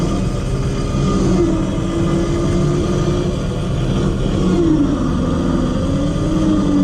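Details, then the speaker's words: 12-volt winch motor run on 12 volts, straight pull on flat ground from the car: constant motor drone steady under load, no grinding or clunks; healthy but slower, about 31–32 seconds. "run some rope out and we'll get testing alright test one 12-volt straight pull on flat ground"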